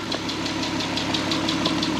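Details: VW R32 first start after 10 years sitting and a corrected timing chain replacement: smooth idle, owner says purring, with a light crisp top-end ticking about six times a second in time with the engine; slight ticking noted.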